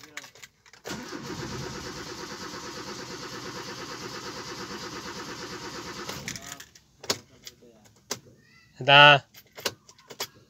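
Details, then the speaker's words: 2010 Kia Rio, no check engine light during crank, later blinking: starter cranks steadily at a fast churn about five seconds, never fires; crank no start. "so pag walang check engine so Crank but no start"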